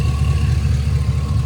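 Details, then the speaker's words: Hot rod V8 warm idle after cutting out and a bang on the road, owner suspects a low-fuel or sending-unit fueling issue: deep, steady, even rumble with no misses, knocks or surges; temperature good. "nothing under still idling as smooth as glass temperature's good"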